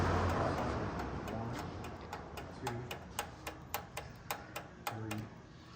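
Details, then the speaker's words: Mazda RX-7 drag car (~1000 hp) on the dyno: boost control solenoid tested with a power probe gives sharp, evenly spaced clicks about four a second over a low hum; it is pulsing and working normally. "Now the push. positive? Yep, push power up. It's clicking."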